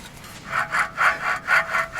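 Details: Old wheel bearing from a 1993 Toyota Soarer UZZ31 hub, spun by hand before pressing out: gritty rasping surge about four times a second, rough and dry; worn, rusted bearing with rusty balls.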